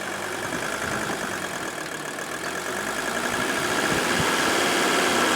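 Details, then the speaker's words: Mercedes 300D OM617 turbo diesel outdoors, camera close, after rebuilt balanced injectors and valve adjustment: clatter settles into an even, steady idle, idled down, about four beats a second, no misses; runs smoothly. "we roll this outside and now I want to have you hear this run bring the camera in close this is unbelievable look at that and we've even got it idled down"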